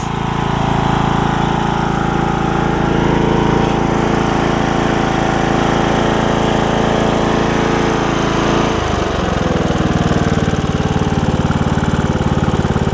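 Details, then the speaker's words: Briggs and Stratton single-cylinder riding mower engine after HiPA carburetor replacement: steady putter holding even speed, then the note drops and roughens near the end with a load change; normal running. "it's running good, which is nice."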